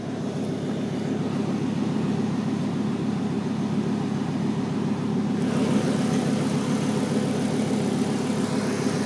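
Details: 1996 Volvo 850R on 93 octane at stock boost, idling: light, fairly even tick over the engine hum from the driver side of the engine, loud at times and quiet at others; owner unsure if it is normal, cause unknown.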